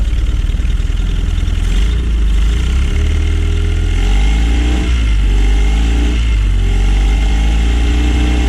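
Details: Honda 9.9 outboard after cleaning a plugged carburetor main jet (previously ran only on starting fluid): steady low putter at even idle with a brief blip; runs smoothly.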